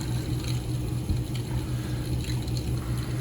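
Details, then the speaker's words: Residential hydronic radiant heating manifold after circulator replacement and loop purging, supply a little over 120°F: watery gurgling and trickling through the pipe over a low pump hum; air pockets still circulating, affecting flow. "and those pockets of air are definitely going to affect circulation even with that b& 100 you can feel it in the pipe and you can hear"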